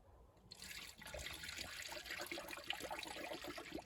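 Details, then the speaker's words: 2014 Kia Sportage 2.0 CRDI coolant flush and refill with HEPU G11 through the radiator cap: irregular wet gurgling and popping as trapped air escapes; squeezing the hoses drops the level, topped up until no more air bleeds out. "and you can hear the air gurgling as it's coming out and now the water has reached the base of the funnel and i'm gonna grab one of the air hoses and just squeeze it and the water level subsequently drops a bit and i keep topping up until there's no more air to bleed"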